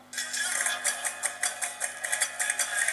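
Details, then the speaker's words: HMV Monaco record player being restored: thin tinny music with faint hum even at full volume, as loud as it gets; original ceramic cartridge failing, no original replacement found, cheap Chinese cartridges ordered to fit. "that's as loud as it gets."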